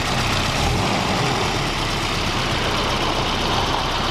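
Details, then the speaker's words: 1991 Volvo 245 after replacing throttle position sensor, idling in gear: steady, even idle near 1200 rpm with smooth low hum and no hunting, previously idled too high; normal idle. "that's much closer to its 1200 RPMs it should be an idle at least when it's in gear"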